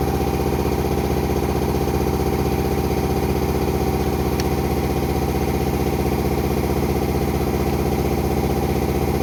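Even, steady diesel idle with a smooth, regular beat and no growl or whine from the gearbox; sounds healthy.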